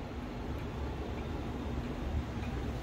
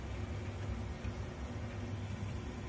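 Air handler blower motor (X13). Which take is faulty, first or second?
second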